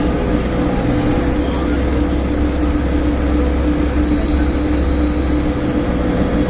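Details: Inside Stagecoach Cumbria Optare Solo bus 47020 (PO51 WLK) on Service 30 Whitehaven to Workington, May 2015: loud steady mid-pitched hum over the engine throughout; source not pinned down.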